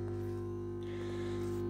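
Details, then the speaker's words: Stereo fed through an AUX-to-RCA video-type cable with no audio ground connected: a steady deep mains hum with a buzzy edge from the speakers. Ground loop hum from the missing input ground. "as you can hear there's a quite a bit of hum coming from the speakers"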